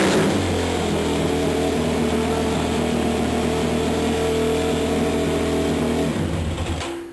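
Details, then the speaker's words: 2005 Yamaha YFZ450 single-cylinder ATV, warmed up, idle adjuster broken and temporarily JB Welded: holds a fast, steady hanging idle after throttle is blipped; restarting clears it until the throttle is touched again. "now if I kill the motor while it was hanging idle and I restart it it goes away but the minute I touch the throttle he hang it's driving me nuts"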